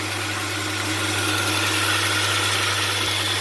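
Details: 2002 Hyundai Santa Fe 2.7 with a no-power-under-load complaint, at idle: steady, even idle with a smooth low hum, no misses, knocks, shaking or hunting; the engine sounds normal at rest.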